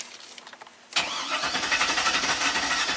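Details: 2000 GMC Sierra 5.3 LS V8, intermittent crank-no-start (cycling the key and waiting lets it fire and run fine): starter cranks steadily at about four beats a second but the engine never catches.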